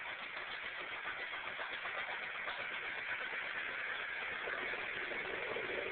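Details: Tractor engine idling with an uneven, stumbling beat instead of a smooth, steady run; sounds like a misfire, cause not stated.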